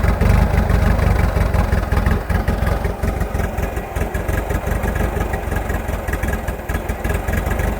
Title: 1986.5 Nissan hardbody rough idle